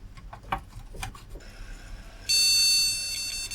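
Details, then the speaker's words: Retro AT PC with the graphics card that came with it fitted, monitor confirmed on VGA: a loud, held high beep flagging a graphics card fault; owner suspects the card isn't seated properly. "doesn't like the graphics card sure the monitor set to VJ I'll just test yeah it's on VGA doesn't seem to like the graphics card might not be seed in properly"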